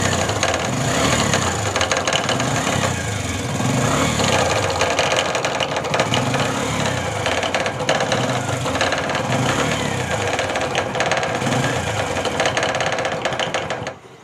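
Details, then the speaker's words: Bajaj CT 100 motorcycle with 17,000 km, idling steadily with a rapid, uneven metallic knocking inside the engine case; loose balancer weight striking the cover. "है कि इसका engine से sound आ रहा है बहुत अजीब सा मुंडा रहा है"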